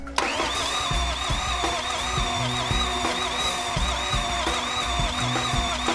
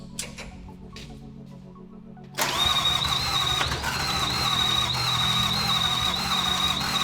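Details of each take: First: FJ49 new build with Toyota VDJ (1VD) diesel, first start attempt after bleeding fuel lines (bubbles, some pressure now); steady cranking about three thumps per second with starter whir, engine never catches, crank no start. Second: FJ49 new build with Toyota 1VD (VDJ) diesel first fires after a poorly seated connector (pebble in plug, one wire) is fixed; catches after a couple of seconds and settles to steady even idle with faint high whistle, running healthy.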